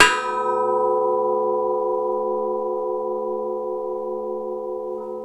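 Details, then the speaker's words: Case 770 tillage disc on a Case Magnum 245, checked before rice season: one strike on a disc blade gives a clear bell-like ring that fades slowly, showing the blade is tight and in place; a thunk would mean loose. "hear that vibration that ringing that's what we're looking for that tells us that this blade is tight and in place"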